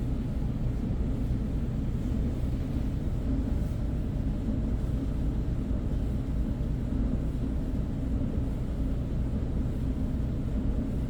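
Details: Whirlpool dryer with a broken blower wheel: a steady low rumble with uneven, loose churning underneath while the drum turns.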